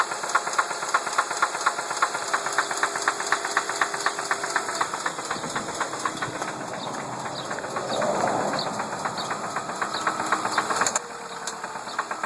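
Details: 2003 Ford Focus idling: rapid fairly regular light ticking knock about four per second; knocking/rattling source not pinned down.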